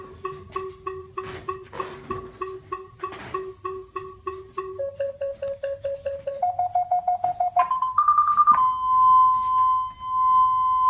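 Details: FenSens wireless Bluetooth parking sensor (detects up to 3 m) approaching a wall: beeps speed up steadily as the wall gets closer, then merge into one continuous tone; working properly.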